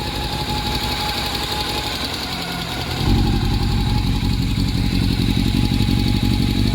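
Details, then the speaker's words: Honda CB400 four-cylinder at idle after long storage with rusted valves; faint fast top-end tick over the hum persists as revs rise, reduced after valve clearance recheck (clearances small); exhaust leak also suspected, cause unconfirmed. "Medyo okay na pero meron pa rin siyang ano eh lagitik eh na parang tunog crsung yung tumutunog."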